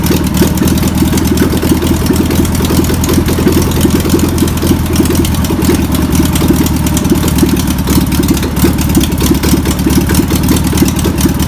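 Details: Air-cooled engine of a VW pressed-bumper-panel bus, sitting over 50 years, runs on its own after penetrating spray and fuel are added. Continuous busy chatter at a steady idle, no stalling or surging. Owner suspects a bad fuel pump. Deemed a runner.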